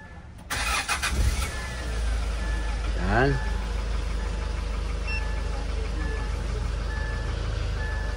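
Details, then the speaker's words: Hyundai Starex GRX after suction replacement and fuel line/fuel rail leak repairs, rescan shows no P1183 or other codes: restart gives a short crank, catches at once and settles into an even low idle. "So ngayon mga boss, okay na yung Hyundai Starx natin."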